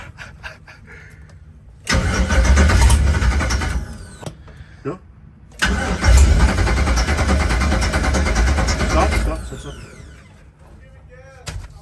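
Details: LS-swapped 1972 Chevy Nova, first start attempts after five years, new PSI harness: two cranking bursts each catch and rumble a couple of seconds then die; fires briefly but won't stay running.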